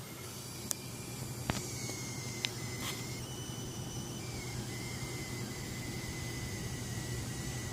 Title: Gigabyte gtx 1080 G1 coil whine sound